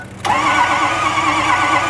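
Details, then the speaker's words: Ford F250 6.0L Powerstroke diesel, towed in, won't start: fast even cranking without compression beats and strong crankcase blowby pressure while cranking; engine needs pulling. "you should never have crank case pressure like that on crank so we got a problem"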